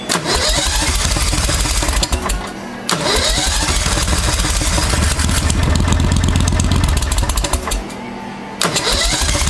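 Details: 1992 Club Car golf cart with a V-twin Briggs engine swap, first start after sitting 6 months and a CVTech secondary clutch replacement. Repeated uneven cranking bursts with pauses; it catches and stumbles before finally running: hard starting, long cranking.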